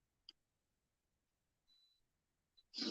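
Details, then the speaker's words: Aquarium heater warning alarm, which sounds when the water is too hot or too cold or the heater is out of the water: in a quiet room, one faint high beep of about a third of a second, then a short chirp. "it warns you when it's too hot or too cold or when the top is out of the water and it kill has a kill switch so the circuit is actually completed by water which is kind of cool"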